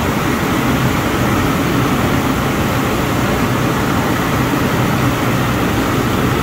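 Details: 2007 Ford Explorer after switching back to a new mechanical clutch fan; even low rumble with soft fan whoosh, no rattle or roar, idle drops after a minute; fan later found hitting a hose; normal idle.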